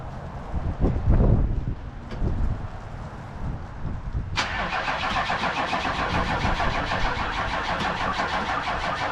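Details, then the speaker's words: 1994 2500 diesel truck after a fuel filter change: about four cranks per second for several seconds, then it catches into an uneven run. This is hard starting from air in the fuel system, later cured by cycling the key and cracking the fuel hose fitting until fuel sprayed. "That way it kind of pushed all the air out of the system out of the filter."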